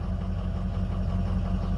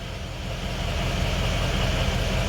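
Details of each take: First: Ford 6.0 Powerstroke diesel after a new FICM was installed: deep idle with a faint uneven lope; contribution test shows drops on cylinder 7, cylinder 3 slightly low, and the turbo sounds weird; misfire from one faulty injector. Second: Ford 6.0 Powerstroke diesel, just started with air still in the high-pressure oil system: steady, even idle clatter with no stumble, miss or hunting; running well, normal idle.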